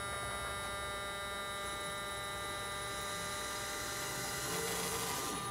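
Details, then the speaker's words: 1974 VW Thing EV conversion, electric motor run unloaded with no flywheel, small throttle input: clean steady electric whine rising slightly with throttle, no grinding or knocking; motor and controller hooked up and working. "so what we're going to do just to show you that everything is hooked up and working as we're going to give it a little bit of throttle here there's no flywheel on there or anything"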